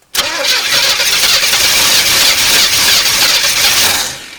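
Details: 1981 El Camino sat 21 years, carb primed with gas: long whirring crank with uneven firing, tries to catch but never runs; two cylinders dead from chewed spark plug wires.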